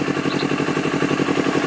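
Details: Honda CBR250RR: quick, slightly uneven idle pulse, rpm hunting roughly 1000 to 3000, won't hold idle and stutters; faults found in the O2 sensor and throttle, later fixed.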